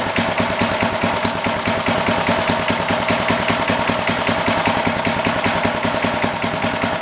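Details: Old rototiller, guessed to be from the late 1960s or 1970s, with a Briggs & Stratton single-cylinder engine idles with a steady, even putter around 150 beats a minute, no misses or knocks; healthy idle.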